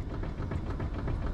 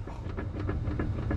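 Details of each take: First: BMW E90/E92 steering rack after slightly backing off its adjuster, wheel wiggled, heard from underneath: low soft thumps with a bit of residual noise that no longer changes when pushed up; it was out of adjustment, not worn. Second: BMW E90/E92 on a hoist, engine idling, steering wheel rocked: sharp regular clicks about three times a second, knock felt at the right tie rod, louder when tie rod pushed up; suspected loose steering rack thrust piece (yoke).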